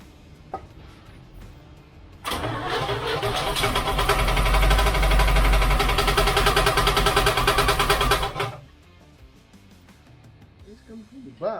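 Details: 1972 Chevrolet C10 shop truck on first start after build: a fast regular knock, about three per second, rides over the idle, at first thought an exhaust leak; the bell housing inspection plate is contacting the flexplate.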